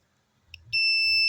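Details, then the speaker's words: Polytron slim TV (dead, squealing): meter on buzzer scale across a transistor beeps steadily in both probe directions where a good junction stays silent, transistor shorted. "kalau seandainya ini diukur bolak-balik bunyi berarti transistor positif jebol"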